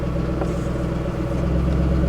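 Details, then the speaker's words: Salvage-auction V8 heard idling from the rear, possibly stock intake and injectors: steady, even low burble on stock mufflers with no knocks, misses or ticks; sounds reasonable, nothing crazy. "see how she sounds from back here it sounds reasonable nothing crazy sounds reasonable"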